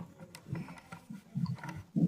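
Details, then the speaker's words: Lakshmi wet grinder, drum turned slowly by hand: uneven crunching, clunking "karak karak" bursts, and the wheel has play; worn, loose drum bearing needing replacement; belt also worn. "சுத்தி பார்க்கும்போது பார்த்தீங்கன்னா இந்த மாதிரி கரக் கரக்கு மறக்கு மறக்குன்னு மாதிரி sound கேக்குது. அதே மாதிரி wheel ஆட்டுனோம்னாலும் சேக் இருக்கு."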